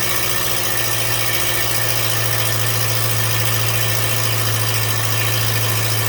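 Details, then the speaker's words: 2014 Subaru Impreza at idle, splash shield removed, suspected exhaust leak under engine: constant low drone with fast loose metallic rattle three to four per second; seems not a gasket leak, possibly torque converter, source unconfirmed. "but it sounds like it may not be a gasket um sounds like it might not be exhaust leak after all something maybe even more serious"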